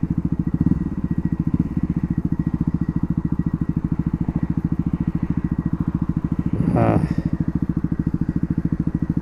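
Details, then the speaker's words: Yamaha WR250R single-cylinder at idle after stopping: steady even rattle riding each firing pulse, about three per second, like Morse code with a mini cowbell; source not identified. "Can you hear it now? It sort of sounds like Morse code with a mini cowbell."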